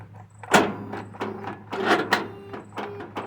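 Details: Troy-Bilt lawn mower, gone bad after a couple weeks' use; battery tested good, starter solenoid replaced, grounds and connections cleaned with no change: starter tries to engage but engine won't turn, irregular heavy clunks and ratcheting; seized.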